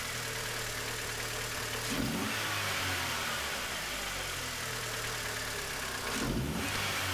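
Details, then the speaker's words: 2001 MINI Cooper R50 idling with a fuel pressure gauge on the fuel rail (spec about 3 bar); pressure holds, but the engine runs unevenly with brief revs over a ragged idle, near stalling. Owner suspects air trapped in the gauge line; cause unconfirmed. "it's still holding there at the pressure like i said the engine's not running too well though"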